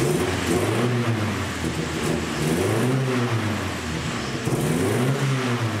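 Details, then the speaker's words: 1972 Datsun 510 with turbo KA24DET swap, after fitting aftermarket stainless exhaust manifold gaskets in place of the failed CX Racing ones. Engine idles and revs cleanly under the hood with no ticking or puffing, so no exhaust manifold leak. "all right it seems like those gaskets fixed the problem it's actually sealed up under the hood now I don't hear any obvious exhaust leaks"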